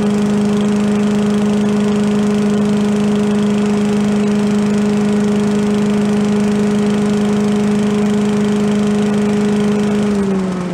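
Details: Commercial walk-behind leaf blower bought not running with carburetor problems (flooding, shut-off not shutting off), after carb work and air cleaner refit: small two-stroke holds an even, steady high buzz with no surging or missing, then winds down; normal running.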